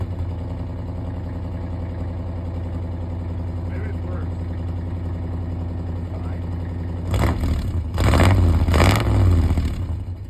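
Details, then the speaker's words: An engine that was over-revved and blown up still runs and drives. At idle a rapid tapping, about four per second, with a chirp, then revs rise. The knock is reported as quieter than before; the cause is unconfirmed. "I did until I blew it up, but it still runs and drives. It just doesn't, just chirps and knocks a little bit."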